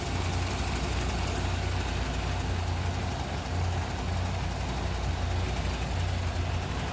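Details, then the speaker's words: 1961 Plymouth Belvedere 4-door sedan, 30D slant six "economy 6" heard under the open hood: quiet, steady low hum with a smooth, even beat, no ticking or stumbling; normal idle, barely audible. "Barely hear that run underneath the hood too."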